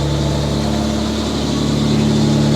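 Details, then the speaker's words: Mitsubishi Diamante at about 230,000 miles, started after its first tune-up and intake cleaning with carburetor cleaner: steady even low idle, smooth rumble, no misses; some smoke, exhaust leak and an accessory squeal noted. "oh listen to that that is pure sexiness right there listen to her purr"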